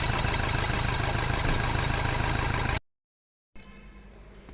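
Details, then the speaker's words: Toyota Fortuner diesel after repairing broken wiring that caused knocking and pickup loss, code cleared: starts and settles into steady even clatter with no knock; engine now silent, normal idle. "ठीक है तो गाड़ी तो अभी एकदम silent है"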